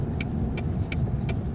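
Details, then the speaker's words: 2000 Toyota Camry 4-cylinder driving around the block after flex pipe exhaust repair and ignition coil fix: smooth steady hum with light regular click, no misfires, drives nice and smooth. Finding: normal running after repair. "And we'll just take it around the block. Drives perfectly fine, nice and smooth,"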